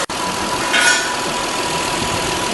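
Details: Toyota Highlander at idle after knock sensor replacement with intake manifold reinstalled: smooth, even idle with a steady tone and no knocks or ticks; running healthy.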